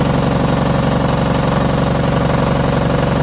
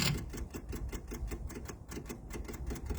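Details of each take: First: MEP-002A military diesel generator, rusty fuel filtered: steady even diesel clatter at constant speed with a firm low thump, no misses or knocks; runs healthy. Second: MEP-002A military diesel generator, unused for decades, with rusty fuel, engine off during priming before glow plug preheat: steady rapid clicking about five per second from the electric lift pump priming the fuel lines, expected to stop once primed.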